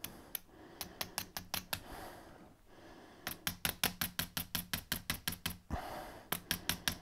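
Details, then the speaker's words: Audi 80 convertible with fuel problems: electric fuel pump hit with 24 volts gives bursts of sharp, even clicks about three a second over a low buzz, heard trying to turn but seized solid; owner plans air and brake cleaner to free it. "Let's try stabbing at it with 24 volts. That is definitely stuck."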